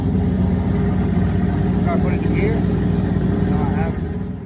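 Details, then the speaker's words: Chevrolet S10 Blazer street truck idling on a heat-cycle run with the fans not yet fitted: deep, steady, even exhaust rumble with no ticking, knocking or stumbling. The smoke has cleared, though the headers are expected to smoke into the new wrap, and it isn't climbing temp badly; normal idle. "Don't sound bad. It is not smoking like it was. It's finally cleared all that shit out."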